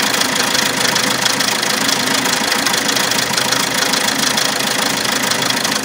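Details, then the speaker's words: Alfa Romeo MiTo 1.3 Multijet diesel idling: loud metallic clatter about two beats a second near the timing chain, with synchronization and oil pressure fault codes; suspected worn timing chain, not yet confirmed. "ine noise a very loud engine noise here near the timing chain the car also has some codes and when doing the diagnosis it has synchronization issues with the timing chain"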